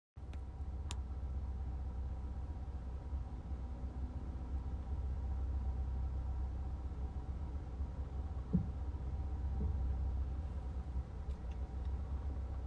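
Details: 2024 Volkswagen Jetta SE at idle: quiet steady idle, then two sharp knocks about a second apart, recurring roughly every 35-45 seconds; intermittent double knock, cause not yet found.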